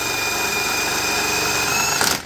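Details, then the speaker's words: Self-exciting SI-series alternator removed from an abandoned Farmall M tractor, spun on the bench with leads held on: steady high-pitched whine with an audible RPM change as it loads, running evenly until it winds down; alternator proven good. "okay we're spinning it here here it hunker down that o on you can hear the RPM change"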